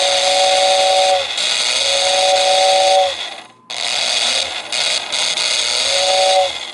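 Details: 1949 Lionel 2026 steam engine's whistling tender, whistle motor with wire held on and relay moved by hand: steady airy hiss with clear whistle tone, blown twice with a short break; whistle motor spins up properly, normal.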